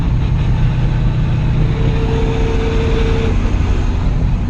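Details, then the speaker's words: Gutted LS1-swapped Datsun 280Z while driving: loud drone with a steady mid-pitched gearbox whine. Owner hopes the transmission fluid is low after gear oil leaked when the driveline was pulled. "I don't know if you can hear me, but my tranny, that's the humming noise I was trying to show you guys."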